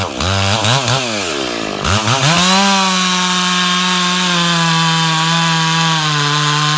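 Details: Stock MS461 with eBay ported muffler, well worn, over a year of cutting; hand round-filed chain used a week, no touch-ups; felling cut in big northeastern red oak, camera a ways back. Revs up, dips slightly biting, then steady high pitch, no chatter: sharp chain under load.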